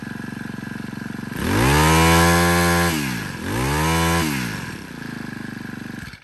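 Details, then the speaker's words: Used Thai-market Honda GX25 four-stroke grass trimmer with original throttle cable, starting on one pull: crisp, even buzz rising smoothly with throttle twice and dropping back without knocks or rattles; normal running and revving. "Thì nổ còn êm ru luôn. Ga lên thì chưa hề cọc cạc gì cả."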